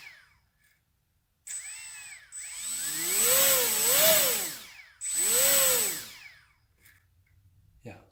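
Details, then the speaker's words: HobbyKing EZIO 800 electric RC glider motor on a speed test with the suspect ESC swapped out. Two clean spool-ups and spool-downs with no stutter or screech. The motor runs normally, so the original ESC was judged defective. "no strange no noises whatsoever very [Music] smooth [Music]"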